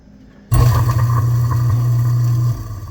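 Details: Garbage disposal after being freed with an Allen wrench in the bottom hex after it only hummed: switch on, motor spins straight up to a steady low hum with light grinding, running freely without stalling.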